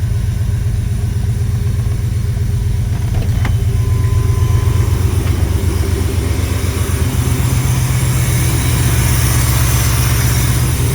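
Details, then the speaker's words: GMT400 Chevy OBS pickup after a cold start with good oil pressure: even idle around four beats a second with a loud, rough whirring chatter over it from noisy accessory pulleys. "I don't know if you can hear that, but the uh pulleys are making a quite a bit of noise."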